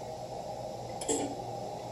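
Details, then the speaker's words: Forward/reverse contactor (Curtis Albright SW202), turning off back to neutral: single short sharp click over a quiet steady hum; normal, crisp contactor release. "so the forward and reverse contactor is it Curtis Albright to sw20 to and it's a little bit sharper noise then the"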